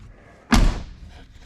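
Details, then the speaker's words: 2000 Chevrolet K2500 flatbed truck door after replacing every hinge pin and bushing: one solid slam, then a faint light knock as it settles; the door latches cleanly, with slight remaining noise to be lubricated. "We're going to lubricate that just a little bit. Yeah. Okay, we'll put some lube on that. Still making a little noise, but it's shutting great."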